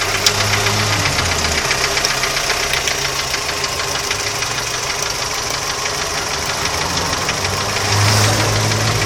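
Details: Audi 80 engine knock: sharp metallic tapping at about four knocks a second keeps time with the engine and rides clearly over the idle, suggesting an internal knock.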